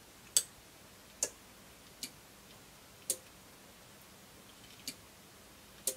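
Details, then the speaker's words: Forward/reverse Demon model speed controller on a bench during repair, throttle moved to the full-brake position to engage reverse: crisp isolated clicks about one a second as both relays operate properly. "when you've got full brake position to get the verse to come on turn on might be other see all these here the relays operate"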